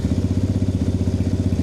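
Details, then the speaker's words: 2020 Chinese Apollo 250cc dirt bike, after electrical repair and kickstart bolt fixed: 100% cold start, exhaust completely cold; crisp, even single-cylinder putter, about twelve firing pulses a second, no misses or rattles; normal healthy cold idle. "That's a cold start. Like I said, the exhaust is completely cold. That is 100% cold start."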